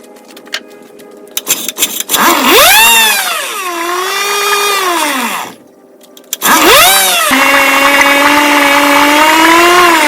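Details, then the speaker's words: 1959 Johnson 5.5 HP two-stroke outboard powerhead on a test motor, silencer removed: wouldn't start until low-speed mixture was set 3/4 turn out and high-speed mixture was also backed out; buzzy note revs up and down, dies briefly, restarts and holds clean and even. "I went all the way in on the low and came out 3/4 all the way in on the high came out a quarter and a half started and then adjusted from there run is perfect"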